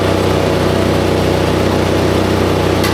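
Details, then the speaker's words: Toyota Levin GTZ under restoration, petrol engine idling: rough, raspy puffing pulse about three beats a second from a large exhaust leak underneath. "It's got one hell of an exhaust leak under it. I can hear it."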